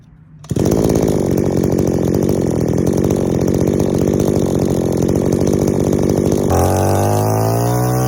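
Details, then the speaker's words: Two-stroke strimmer engine tuned with the high-speed mixture screw first: a steady high-rev scream drops to a lower idle, showing that leaning the high-speed screw shifted the idle, so idle is set last after warm-up or load. "can you hear how that's now affected the idol now if we had adjusted the idol first we're going to be chasing our tail back forth back forth"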